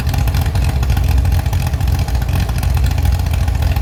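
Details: Chevy SS straight-six restoration engine with a non-original cam, running after the fuel level was lowered: strong, even deep beat, picks up cleanly on throttle, no misses or knocks; healthy.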